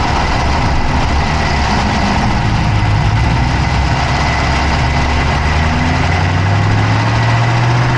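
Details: Dodge Charger Hemi V8 at steady, constant idle, recorded inside the engine bay on the passenger side with an Insta360 Go3: fast, light clicking rides over the low rumble; an engine ticking noise at idle, cause not identified.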